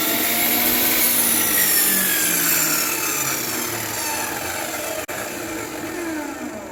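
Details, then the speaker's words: Craftsman 10-inch table saw, 15 amp motor, after rear bearing fix, cutting scrap wood: motor holds an even whine while the blade rasps through wood, no grinding or rumble; normal running under cut, cuts straight. "So I couldn't resist grabbing a piece of scrap wood and just running it through. Cuts nice and straight, cut like butter. We're golden."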